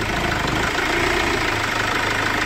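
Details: 2008 Chevrolet Captiva NFL diesel with hard starting, heavy smoke, weak pull, rpm capped at 3000 and no warning lights: loud, lumpy, uneven idle clatter, judged as poor injector atomization. A broken engine mount is suspected from the shaking.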